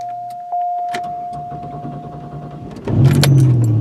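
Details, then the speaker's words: Buick LeSabre after fuel pump replacement (no fuel came from the feed line before): chime, brief crank, engine catches and settles into a steady low idle; starts fine, no fuel leaking. "boom she's a runner how do you like that nice we're not even spraying fuel everywhere sweet"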